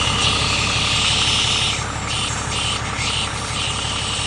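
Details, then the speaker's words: 2012-or-later Peterbilt 388/389 with Cummins ISX third-generation diesel at idle; steady sharp air hiss then short puffs when the brake is pressed; air leak at the front quick release valve, which is being replaced. "so we are replacing the sucker because it is making this sound whenever we push on the"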